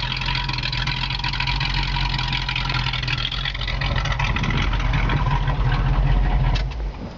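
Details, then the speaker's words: Restored 1969 Pontiac Firebird convertible V8 with Edelbrock air cleaner and valve covers: a deep, even burble rising and falling smoothly with throttle, no knocks or misses; normal muscle-car idle and revs. "That's what a muscle car should sound like."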